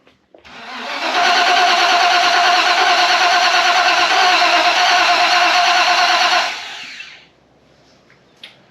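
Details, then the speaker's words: 1991 Mustang GT Foxbody, unrun since 2000: even starter cranking about three turns a second for five seconds, never catches; distributor 180 degrees out and one wire not powering the TFI. "But there was one wire not getting power to the TFI, and I had the distributor 180 degrees out, so I just kind of hit the starter there without the fuel pump, and it kind of sounded like it wanted to run a little bit."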